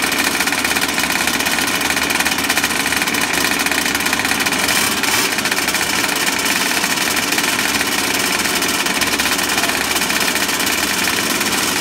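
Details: Small RC two-stroke engine after clearing a flood of 3-in-1 oil with throttle and smoke: a high-pitched buzzing note holding steady without sputtering or dying. It is running cleanly.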